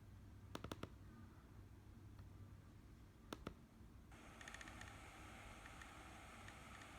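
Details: Short bursts of three or four sharp rapid clicks a few seconds apart from an Olympus camera, compared before and after return from Olympus; abnormal clicking.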